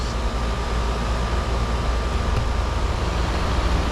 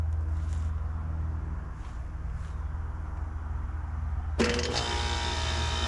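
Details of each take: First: Outdoor AC condenser running after replacing a bad run capacitor and the outdoor fan motor: an even low compressor rumble with steady fan rush and a faint constant hum; running smoothly. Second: Home central air conditioner outdoor unit calling for cooling: steady low compressor hum with no fan air rush; condenser fan not running.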